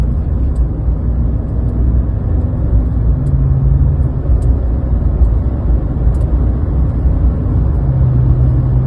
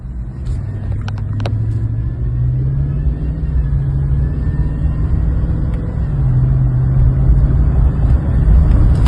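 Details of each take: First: 2020 Chevy Silverado LT 5.3 V8 after replacing the drive belt tensioner pulley and serpentine belt: steady, even low idle rumble with no belt whine. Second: 2020 Chevy Silverado LT 5.3 V8 at idle: thin steady whine over the rumble from the drive belt tensioner pulley, fixed by replacing the tensioner pulley and serpentine belt.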